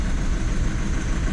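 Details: Diesel Skoda Octavia towed in with engine light on: lumpy, uneven idle misfire. Code P0201 (injector circuit open, cylinder 1) returned after clearing, and a faulty injector was confirmed and later replaced and coded in.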